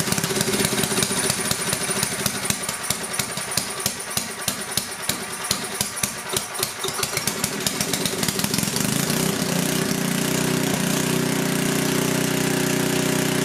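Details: Coleman Powermate 6250 generator with a 10 hp Tecumseh engine, after carburetor cleaning, started on full choke: rapid uneven chuffing, then it settles into a smooth, steady governed drone; running properly.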